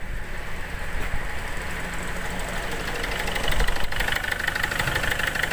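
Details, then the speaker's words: Ford Figo 1.4 diesel, slow to start (only with throttle), check-engine lamp blinking, low pickup: rough idle with a heavy uneven knock about three times a second over the clatter from faulty injectors; fixed by replacing both injectors. "ये देखिए ये कितने ज़ोर से knocking कर रहा है और आवाज़ भी हो रहा है।"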